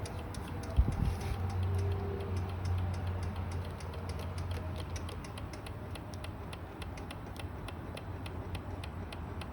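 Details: 2016 Kawasaki Ninja 300 ABS won't start: fast, steady clicking about three a second with no cranking, from a dead battery too weak to turn the starter.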